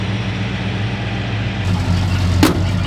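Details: 1969 Ford Fairlane with freshly installed 302 V8, dwell at about 28 degrees on first runs: steady low idle with an even, smooth lope and no misses or knocks; normal idle.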